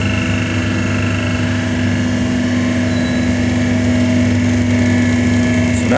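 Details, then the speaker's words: V40/V70 hydraulic cardboard waste baler on auto cycle, pressing at about 4 tons factory setting: steady pump hum, firm tone near 250 Hz, even under load; healthy cycle. "pressing it's about 4 tons of pressure we set these machines up before they come out of the factory it's going to give it a good press"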